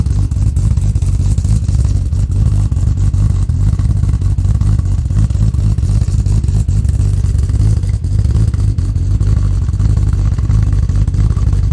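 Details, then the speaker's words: Freshly built 1000 hp Barra G6ET replacing a factory engine with a low-compression no. 3 cylinder, on E85 cold start, untuned with cams not dialed in: loud, deep, lumpy, uneven fast idle, rough running; no more knocking or ticking. "well there you go guys she's running she's not running well but she's running she needs a tune desperately but no more knock knock knock no more tick tick"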